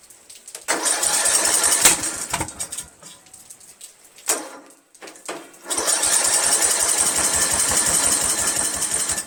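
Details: 1999 Craftsman LT1000 lawn tractor, Briggs 17.5HP engine: two long bursts of steady cranking with odd pops, never running, after starting fluid into intake; valves set to spec, 130psi compression, good spark, still no start.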